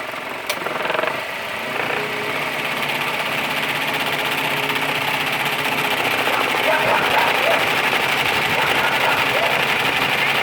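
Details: Renault Scenic idling with AC on and the radiator fan in second stage: steady airy whirr with a faint uneven rattle. The worn fan shaft bearing lets the blades wobble; fan kit replacement needed.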